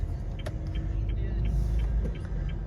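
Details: 2018 Honda Brio road test after front shock absorber replacement, right-front noise complaint over road joints and bumps: road rumble with only light ticks, no heavy clunks; front suspension sounds solid.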